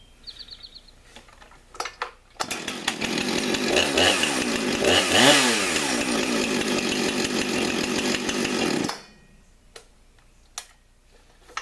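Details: Chainsaw, about 5 years old, original sharpened chain, 20-inch bar: revs to a steady high scream for about six seconds and drops cleanly to idle, smooth and even throughout; normal running.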